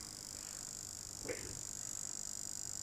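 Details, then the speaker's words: PS4 Pro power supply on mains: thin steady high-pitched hiss with fast fine ticking from its single inductor, not the fan. "Okay, so that's strange. We've got a magnetic component, i.e. an inductor, making a lot of noise."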